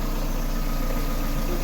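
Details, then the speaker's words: Car idling and revved after a variator/gearbox replacement, with the AC compressor off. The knock came from a missing plate between gearbox and engine; after adding two washers under the starter, the idle is smooth with no knocking. "так заводим заводить Ану газни Та ні ну чутно що нема"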